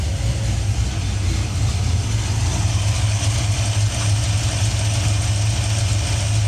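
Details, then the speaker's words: Coupe at idle running extremely too rich and needing the mixture leaned out; deep, lumpy idle with heavy low rumble and slightly uneven beat, microphone hand-held. "um sounds weird um we need to lean this thing out a little let's go ahead and do that"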